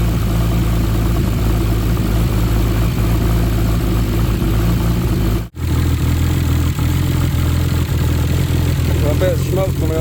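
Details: Nissan R33 Skyline with freshly built forged RB25DET, first start after engine install: rough lumpy idle with faint ticking and chuffing leak; misfire, lifter tapping and a bad downpipe exhaust leak, owner hopes running in stops misfire and tapping.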